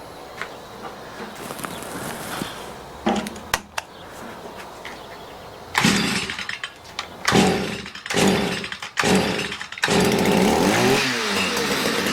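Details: Stihl MM65 two-stroke multi-tool with a not-starting problem, on its final tune after warming up and being used. A few sputtering catches, then a steady, even buzz; a drip was seen, possibly excess oil or fuel. Normal running.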